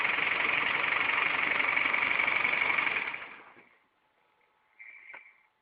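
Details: Engine knock: fast, even tapping of about four per second over the idle that stops when the engine shuts off.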